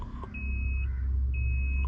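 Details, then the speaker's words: WagonR CNG taxi, engine idling then switched off: two long high-pitched beeps about a second apart repeat continuously from the GPS tracker emergency panic button, which sounded without being touched and would not stop; panic alarm stuck on. "Emergency ലൈറ്റിൽ നിന്നൊരു sound വന്നിട്ടിരിക്കാൻ. എൻ്റെ കൈയൊന്നും കൊണ്ടിട്ടില്ല കണ്ടോ, emergency light ആയിരുന്നു. വണ്ടി ഓഫാക്കിയിട്ടും വന്നിട്ടിരിക്കാൻ."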